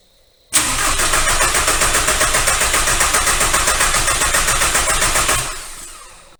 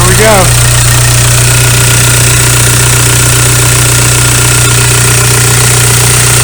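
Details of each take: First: VW ALH TDI crank-no-start after injection pump head seal replacement and vacuum priming. Injector lines are cracked to bleed air. Steady starter cranking about 220 beats a minute for five seconds, never catches; air in the fuel system. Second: VW ALH TDI diesel idling just after injection pump head seal replacement and fuel line bleeding; even, steady clatter with smooth low drone, no miss or knock; later drive showed no leaks, normal diesel idle.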